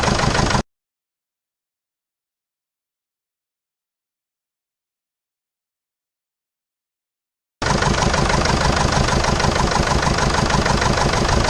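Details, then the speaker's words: 2005 Jeep Liberty CRD common-rail diesel, past overheating problem, idling on three cylinders: lumpy uneven idle with a regular stumble about three times a second from one dead cylinder. Owner smells raw fuel in the exhaust and suspects lost compression, not the injector. "this is the 2005 jeep liberty crd or common rail diesel that i bought with evidently it's only running on three cylinders"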